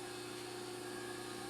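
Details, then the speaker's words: Table power feed on a ZX7550WA milling machine powered by a newly wired Roto-Phase model M 3-phase converter: steady even motor hum with constant pitch, no knocks or surges; power feed working normally. "there's our table feed working. So everything is working like it should."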